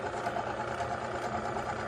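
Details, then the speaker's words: Friction-test machine with metal-on-metal bearing lubricated by one drop of Prolube, loaded to 7.2 pounds: even steady hum, no smoking or squeaking; normal bearing operation. "Running on the machine with 1 drop. It's not smoking, it's not squeaking. It's running like a champ. Running like a top."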